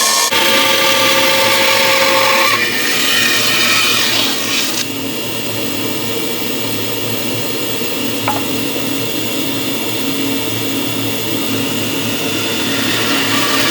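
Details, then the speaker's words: 1930s 36-inch Oliver bandsaw resawing a board to thickness against a clamped straight-board fence: steady high hiss of the blade cutting with an even motor drone underneath; saw working normally. "and then I just bring this to the thickness that I need and I run them through and away we go"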